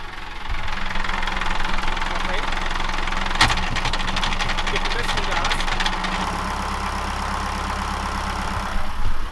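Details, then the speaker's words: Diesel engine of an Amel Santorin sailboat at idle: a sharp clunk as gear engages, then violent jerk and rough judder. Source is not pinned down (saildrive, shaft coupling, gearbox or engine), and it vanishes with slight throttle. "Mais si j'accélère un peu, le bruit disparaît. Pour vous le démontrer : à l'embrayage, le moteur donne un à-coup violent et se met à brouter."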